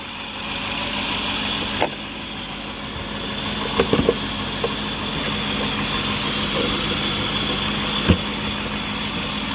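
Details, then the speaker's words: 2010 Cadillac DTS Northstar V8 idling after starter replacement: steady, even idle hum with a smooth rapid beat, no knocks, misses or starter grinding. It sounds good, normal idle. "Everything under here looks good, sounds good. I don't really have any complaints at this point, so we're going to go ahead."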